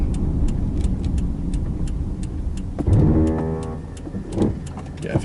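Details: 2003 Subaru Forester XS driving: rough ratcheting rattle with pedal feel only just before a complete stop, fading once stationary; brake-side noise, cause unknown.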